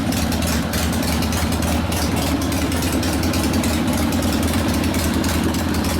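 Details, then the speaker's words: Rebuilt 1972 Harley Sportster XLCH Ironhead after case repair, restarted with air cleaner refitted, good oil pressure: steady, even V-twin idle with lumpy low beat and crisp firing, idle speed slightly high, to be lowered once broken in; normal idle. "we got the carburetor Josh did idle speeds a little bit high obviously a slightly but you can bring that down once you get to write off the motor"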